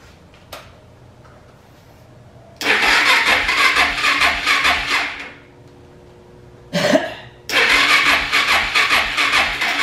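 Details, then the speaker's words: Suzuki DR650 single sitting over 4 years, carb cleaned, battery charged; two long bursts of fast even starter cranking with no firing, still won't start on its own before starting fluid: cranks but won't start. "let the battery charge the next day it still wouldn't start on its own"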